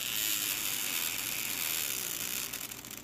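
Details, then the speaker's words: 3 V DC motor run on 12 V: shrill, very high buzzing whine that sags and turns ragged as it smokes and burns out; overvolted DC motor overheating and dying. "I'm seeing smoke a little bit. Not enough for me to stop, though."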